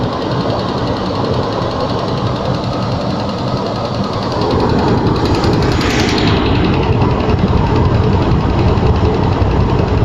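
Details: Range Rover II cold start: busy, rapid ticking knock about two to three per second over a steady cold-running engine; cause unknown.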